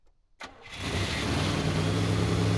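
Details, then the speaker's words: 1985 IROC Camaro rebuilt 305 V8, first start after rebuild and new distributor: short crank, instant catch, smooth even deep idle that settles immediately; no backfiring, brief smoke from oil on a header; healthy start before 20-minute break-in. "as expected it turned over without hesitation and immediately fired up no antifreeze shooting out no backfiring it was perfect"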